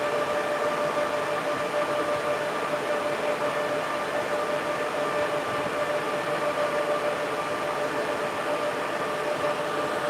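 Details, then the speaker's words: Server with a 96-core Genoa CPU: cooling fans at full speed give a loud steady rush of air with a constant mid-pitched whine and no rattle, strong enough to set a small tripod blowing in the wind. "there the fans are blowing enough that the small YouTube tripod is blowing in the wind"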